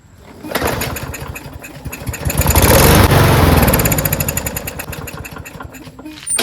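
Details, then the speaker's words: Lawn-Boy push mower with a Briggs 550 140cc engine and black plastic carburetor, full tank but no start. On ether with the choke closed it fires, revs on rapid even pulses for a few seconds, then sags and dies. No fuel is getting through; the carburetor is likely gummed up with the float and needle stuck. "Okay, engine sounds good. Turns over and goes vroom. It's not getting any gas, which means that the carburetor is probably filled with gunk and the float and needle is stuck."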